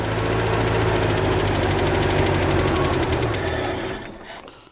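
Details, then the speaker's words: 1967 Ford F-100 (1970 grille), long parked, restarted with electric choke: ragged uneven firing with sharp spits, struggling then dying; engine sputtering, likely fuel-starved, owner wonders if carburetor float is stuck shut. "So I started getting some fuel. I'm kind of wondering if the float's stuck shut and it's just not letting it pump."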